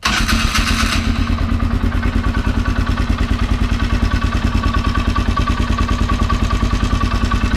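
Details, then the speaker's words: Polaris Sportsman 400 single-cylinder with a budget 500cc big bore kit, about 200–300 miles since the kit: dry metallic clatter over each firing at about three beats a second; the rattle persists after replacing the timing chain, tensioner and starter bendix, cause not found. "i've replaced timing chain timing chain tensioner that's up under there and i mean it just it just rattles but it seems to keep going"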